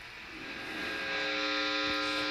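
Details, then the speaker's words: High-gain setting on a Skreddy Pedals Major Overdrive with a Strat, no playing: steady buzzing 60 Hz mains hum with a bright edge, brought up by the gain near maximum. "Ooh, 60 cycle hum, babe. That's what high gain does."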